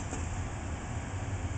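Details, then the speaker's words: Four-year-old home HVAC air handler with TXV in the attic, after a supply duct tee-wye popped apart: only a low, steady hum and soft airflow, no rattles or squeals; running quiet and normal. "it's a quiet air handler sounds like I almost have to have this hatch open"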